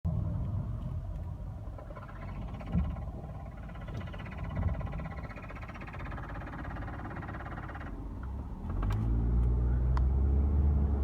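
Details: Toyota Estima minivan stopped in gear: a fast, light rattle with faint squeaks over the idle rumble, heard only inside the cabin. It occurs stopped in gear or reversing, goes away when driving and is mostly present; source unknown, possibly something loose.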